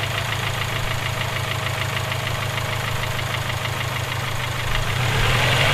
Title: Rod knock? Ej257